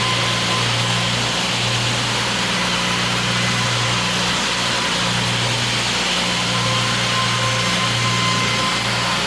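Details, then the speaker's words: Nissan Skyline R34 idling smoothly and evenly, not yet warmed up, after misfire from water-soaked spark plugs and coil packs was fixed by cleaning; no misfires or motorcycle-like stumble, all cylinders firing cleanly; normal idle. "for the car is really nice uh good i haven't hear any uh misfires usually when you turn it on it will sound like a kind of like a motorcycle"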